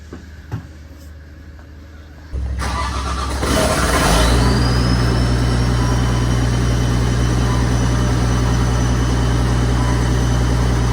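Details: Caterpillar 930G loader after reconnecting missed engine ground wires that blocked both ECMs and caused no-start, hung throttle pedal freed: starter cranks briefly, engine catches and settles to a steady even idle, no knocks or misses; normal start.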